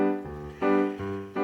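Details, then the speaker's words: Roland MKS 20 digital piano module after replacing the bypass relay (dirty contacts had distorted output), played via MIDI from an MC-50: piano notes ring clear and even with steady sustain, no crackle or harsh edge; clean output. "So, the piano sounds a lot more like a piano now instead of a piano through a distortion box. So, I would call that a success."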